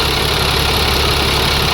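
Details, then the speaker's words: International 4400 DT466 diesel that surged and dipped at idle, after replacing a chunked fuel filter O-ring with a used one: steady, even idle with constant low rumble, no dips or hunting; owner hopes O-ring was the cause. "That may have taken care of it. So far so good. It hasn't dipped."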